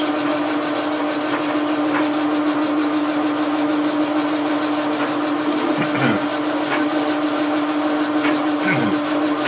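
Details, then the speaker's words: Logan lathe turning a telescope declination shaft at high speed: steady mid-pitched drone with a light rattle from the leadscrew chattering in its plain cast-iron housing, which has no bushing or bearing. "this high speed the the leadscrew is chattering a little bit in the housing you know there's no push a there's no bearing in the housing it's just a piece of cast iron with a hole in it that's what's going on there"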